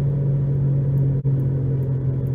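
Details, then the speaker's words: 2011 Nissan Rogue FWD with new balanced tires, coasting at about 30 mph before replacing both front hub bearings; heavy steady low drone with no engine note, significant road noise and vibration; worn front wheel bearing roar. "This is floating at around 30, so I got a pretty significant amount of road noise there and vibration."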